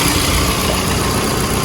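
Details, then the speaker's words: 2008 Toyota Estima E-Four X Hybrid engine running with the air conditioning on. Smooth, quiet, even idle with no tapping or squeaking; runs perfectly. "So, you can hear the engine when it does run is nice and quiet. No tapping noises or squeaking noises. Runs perfectly."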